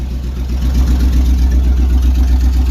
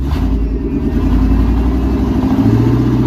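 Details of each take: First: 1999 Chevy K1500 Suburban, 5.7 Vortec 350, almost warm, about 30 psi oil pressure, catalytic converters stolen: very loud, deep unmuffled rumbling idle with steady low throb. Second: 1999 K1500 Suburban, 350 (5.7) Vortec with rod knock, after new rod bearings and oil change, catalytic converters stolen so loud, about 50 psi oil pressure at idle: V8 blips up and settles cleanly twice, no knock or slap; normal revving.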